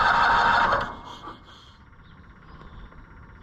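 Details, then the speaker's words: Cushman Truckster auction find, non-running, electric fuel pump wired in place of the mechanical transfer pump: sharp high squeal under a second while cranking, then faint hiss and click; owner first suspected compression loss, then traced it to the failing fuel pump. "I mean, but I still hear that like a compression loss sound. And I just wonder what that is."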